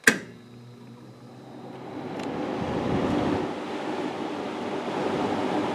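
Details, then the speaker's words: Amana CoolZone 6,500 BTU window air conditioner with rotary compressor, 720 W max, started on low cool with low fan; thermostat click, then soft steady hum and airflow, no rattles or squeals, very quiet. Normal running. "Very quiet, especially in person. It is heavy though."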